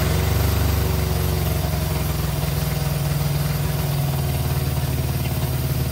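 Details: 1965 Innocenti S Spider, 1098cc four-cylinder, after the plug leads were reversed to correct the firing order, running with the chokes out and the water pump not connected. Even, steady low beat with no misses or knocks: normal running.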